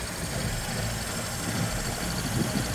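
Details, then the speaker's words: 1985 Ford Econoline E-350 box van V8 just revived after sitting for years, smoking: low, lumpy, hunting idle with an uneven chug and faint knocking; owner suspects it is running very rich on bad old gas; rough idle. "Oh, yeah. She's running real rich. I think that gas is really bad."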